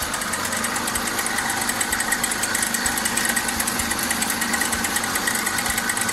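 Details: Citroen C3 HDi diesel that died while driving and then cranked without starting, now running after bypassing a cut CKP sensor wire pin: steady clattery idle ticking about three times a second, even and unbroken. Wiring fault confirmed; sensor OK.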